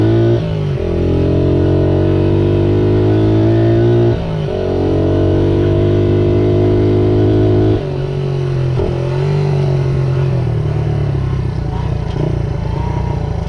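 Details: 1978 Honda XR75 single, restored, after correcting a setting that was in the wrong position to the manual's spec: crisp even note climbing and dropping cleanly through revs and gear changes while riding, no misfires; normal running.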